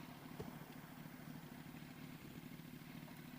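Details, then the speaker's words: R1 motorcycle after an oil change to Amsoil, with shifting into fifth that first drops to neutral: quiet idle with a light quick metallic clatter that goes away when the clutch is pulled in; owner suspects the clutch basket. "making a lot of noise. When I press in the clutch, it goes away, man. But I hate that sound."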